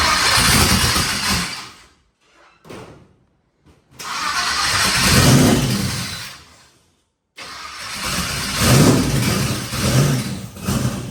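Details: Twin turbo Nova engine after flipping the reversed coil wiring on one bank: catches and runs in bursts with a rough, unsettled idle between blips, now firing on both banks and healthier; idle air-fuel still untuned.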